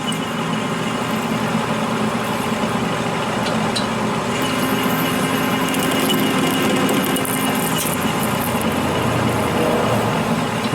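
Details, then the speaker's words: Copper parting test with an Accusize parting tool kit at 180 rpm; gummy, sticky copper; steady lathe hum with faint uneven ticking as the parting tool chatters; stopping and adding more lube fixes it. "so far so good and see you hear it chattering that's it's ticking"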